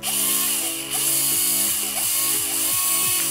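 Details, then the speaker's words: Airsoft gun gearbox on its power source, set to semi, trigger pulled: clean high electric whine with brief dips as the motor spins freely; full electrical connection, no electrical fault in the gearbox. "So the motor's turning. This is good. That means that there's no electrical issues."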